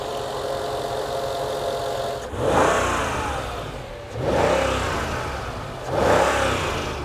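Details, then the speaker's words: 2006 Mercedes E55 AMG wagon, supercharged V8 476 hp, auction car: three quick blips from steady idle rising cleanly to soft limiter, no knock or rattle; healthy, only battery warning on dash. "It has the soft limiter, but sounds good. The engine sounds healthy, and there are no lights on the dash complaining about anything other than the battery."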